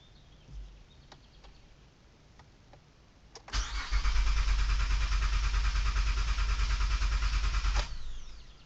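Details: 2008 Honda Odyssey van that won't start: quiet, then about four seconds of steady rhythmic cranking at about three pulses a second that never catches. The engine cranks but won't start.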